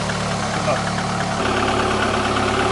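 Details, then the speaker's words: VAZ 2110-family/Priora engine, first start after reassembly: even idle hum with no whine, rumble or bearing rustle from the front of the engine; sounds healthy. "ну все ребята собрали ну не шумит"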